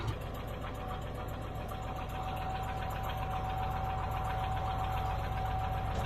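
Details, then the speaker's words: Old Caterpillar D6 dozer diesel started after fuel was found to be the problem: steady, even clatter at low idle, regular firing with a faint constant whine; normal running. "we got it started figured out the fuel was the problem"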